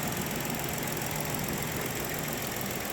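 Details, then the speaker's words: 2011-2019 Ford Explorer 3.5L Ti-VCT after engine and transmission reinstall, running a few minutes: cranked right up without starter fluid, steady even idle with smooth hum, no knocks or misses; old coil packs may still need replacing pending codes. "but I've got it running here it's been running for a few minutes that crank right up kind of surprised me I didn't have to use any starter fluid it sounds really good"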